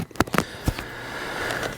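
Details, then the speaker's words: Mic held down at an electric fence wire with grass and debris touching it: sharp dry ticking snaps over quiet outdoor hiss as the grass burns and blackens; electric fence arcing through grass. "I'll hold the mic down there so you can hear it ticking obviously there nothing too crazy yeah here it is obviously if you touch the blade of grass that's touching the fence that's in the process of getting burned and then guess what you're going to take a hit too"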